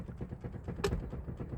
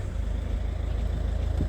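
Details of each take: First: Ford Mondeo Mk4, 284,000 km, engine off, steering unlocked and turned: dull low knocking with one sharper clunk from a worn steering rack, the distributor hitting the teeth; owner suspects a botched tie rod replacement damaged it. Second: Ford Mondeo Mk4 at idle after steering rack repair, steering lock released: low even rumble with no clunks, knocks or groans from the steering; normal steering operation.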